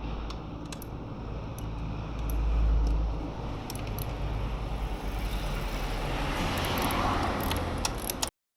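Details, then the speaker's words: Kawasaki ZRX1200R alternator noise: light tinny irregular metallic ticking and rattling over soft engine hum from a loose alternator cover bolt; fixed by applying threadlocker to the bolt. "この音ですね。このボルトちょっと外してネジロック剤つけていったらおしまいかな。"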